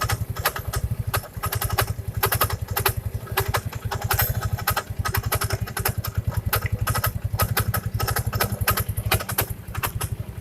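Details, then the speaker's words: First-generation Yamaha Mio scooter: starts fine, then a fast sharp ticking rattle over the idle from the CVT belt-drive side; mechanic suspects something rubbing at the front, noise vanishing with the cover open. "Pertama dihidupkan halo, tapi beberapa detik kemudian bunyinya kayak gini. Kita cari tahu sumber masalahnya ya."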